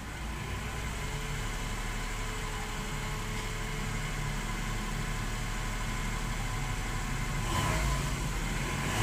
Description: In this video you can hear a potential from problem for this car, you can hear a very low pitch Whistling Noise from Car.